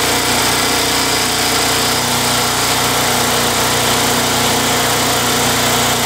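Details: Craftsman Eager 1 mower, Tecumseh 92 cc engine, after surging repair using Mechanic in a Bottle fuel additive: bright steady buzz holding constant speed, no hunting or surging; engine runs evenly and healthy, repair judged successful.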